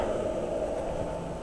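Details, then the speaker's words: BMW EV conversion, 10kW on-board charger with new bus-capacitor pre-charge, while charging: quiet, even whir and low hum from the charger coolant pump and radiator cooling fans, no ticking, grinding or surging; cooling runs smoothly. "s so there's the coolant pump on and coolant is flowing and uh hoping just here the cooling fans are on on the radiator and that really is the charger folks it just works it charges the battery"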